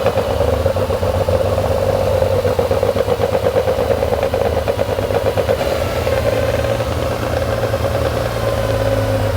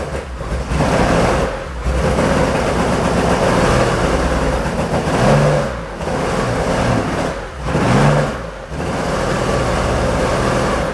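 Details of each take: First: Porsche 911 2.8 RSR build flat-six, after fixing missing injector on cylinder 1 and dead cylinder 5: steady, even idle with no missing beats; cylinders well balanced, sounds way better, normal idle. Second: Porsche 911 2.8 RSR build flat-six on Link ECU, smoking a lot: revs in uneven surges with a lumpy, stumbling exhaust beat; cylinders 1 and 5 not running, found with a temperature sensor underneath, so it ran on four of six cylinders.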